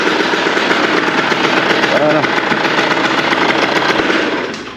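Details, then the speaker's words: Yamaha DT 50 two-stroke, not started for months, after repair (water had mixed into the oil), warmed up: rapid crackly buzz holds steady then drops away; running cleanly, starts first kick. "Voilà quoi. Elle marche nickel."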